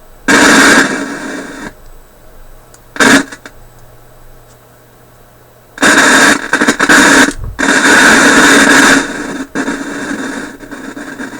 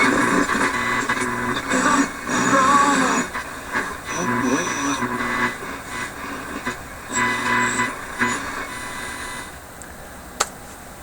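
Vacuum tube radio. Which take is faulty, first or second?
first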